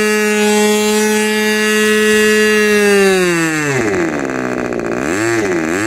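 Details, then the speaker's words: Rebuilt K&B 40 model 4011 glow engine with new bearings, ring and gaskets, on 10% Coolpower plus 4% castor and a balanced Master Airscrew 10x6 prop; the exhaust leaks at the muffler. A clean, steady full-throttle scream near 12,800 rpm, then smooth needle changes; healthy high-rpm run. "so at least I'm going to believe the health of this motor is pretty solid"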